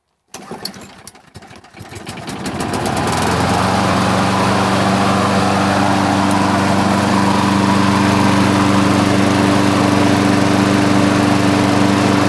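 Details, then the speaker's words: Free roadside push mower the previous owner said would not start, full tank and clean-looking oil, primed, then pull-started: catches after a few sputters and settles into a steady, even single-cylinder beat with plenty of exhaust, running cleanly; normal running. "this machine you could tell it's powerful has a lot of exhaust coming out of this thing"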